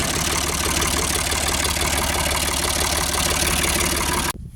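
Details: Ford 4600 tractor diesel after a service-exchange injection pump was fitted; steady clatter at a slow, even idle with no labouring or misses before it is shut off; healthy tickover.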